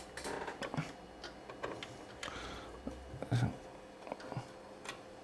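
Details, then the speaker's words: Racal-Dana 1999 frequency counter with its 10 MHz timebase removed, leaving the microcontroller without a clock. Dry, uneven repeating relay clicks in a quiet room, matching the fault often seen at power-up. "now that's interesting so that's the that's the actual fault I often see when I first Power It Up um the lack of an oscillator if that's"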